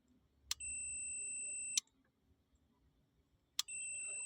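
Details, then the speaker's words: VW Vanagon radiator fan relay that would not switch off, bench-tested with a multimeter on terminals 30/87, power on 85/86: sharp click, then steady continuity beep until the next click cuts it; relay works, temperature switch suspected. "Power off. Power and off. So the relay is working."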